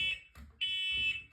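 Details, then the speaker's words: Detector tested on August 2: loud high shrill tone in long blasts with short gaps, steady piercing pitch; smoke alarm sounding normally. "Okay, it works. Okay, let's go."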